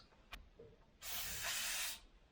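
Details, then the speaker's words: Sharp, steady hiss for about a second, then cut off: air leaking from a bleeder valve that leaks when tightened and stops when loosened, its pointed pin pushing a check valve open. "if I loosen it it stops leaking what when I tighten it it leaks"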